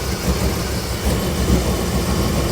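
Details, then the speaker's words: Suburban at idle after the spark plugs and wires were checked: lumpy, uneven idle with irregular thumps and a wavering pulse, motor shaking. Still misfiring and running rough; cause not pinned down. "Well, as you can hear, it's definitely fixed. No, not even a little bit. Look how rough this thing is. Look at that motor shaking."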